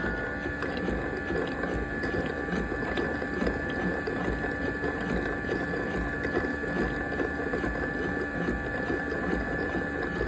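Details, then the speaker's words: Yedi robot mop's dock, bought at Goodwill, with an AC in the background: a steady pump whir with soft gurgling as dirty water is drawn into the dirty water tank. Normal dock pump suction. "That's it, sucking the water out. Into that tank back there somewhere. It's gonna stop doing the thing. Sucking water up into the dirty water tank up here."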